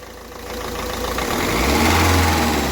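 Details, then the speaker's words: Ford Figo diesel engine running: clatter swells smoothly and evenly with no skipping beat or stumble; normal, no misfire on any cylinder. "ठीक है friend आवाज़ बिल्कुल okay कोई इसमें गड़बड़ नहीं कोई इसमें इंजन में मिसिंग नहीं"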